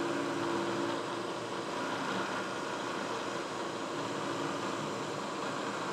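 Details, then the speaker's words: Manual Bridgeport milling machine facing the top of an angled workpiece: steady, even spindle and cutter hum, not loud, no chatter or squeal, making nice chips; normal cutting sound. "so nice and easy we'll come over and you should see we're making a nice chip machine doesn't sound too loud"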